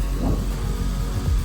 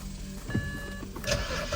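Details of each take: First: BMW E91 325xi wagon that sat three years, just started after replacing a box on the back: deep steady even idle rumble, no knocks or rattles; sounds healthy. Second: BMW E91 325xi wagon that sat for three years, cranked after swapping in a key from another car. The starter spins it at a steady, even crank for about three seconds, but it never catches or fires.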